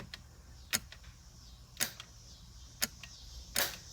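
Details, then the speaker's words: Budget bump box on TH400 trans brake in turbo IS300, after programming: sharp single clicks about once a second with no solenoid thunk; relay switches but trans brake solenoid not firing every time, owner thinks interval needs increasing. "huh so i have it it doesn't seem to work on the solenoid every time i can hear the relay click"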